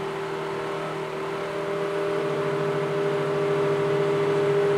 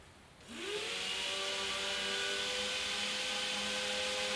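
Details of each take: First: Suburban DD-17DSI furnace blower motor in a roughly 22 ft Nomad trailer: steady whir rises to a high hum then kicks down after about three seconds; motor tightening up, surging and drawing extra power, due for repair or replacement. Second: Suburban DD 17DSI RV furnace blower motor after cleaning and lubricating; it previously surged up and down. It spins up to a steady, even hum with no wavering or rubbing, drawing about 2.5 A: normal blower run.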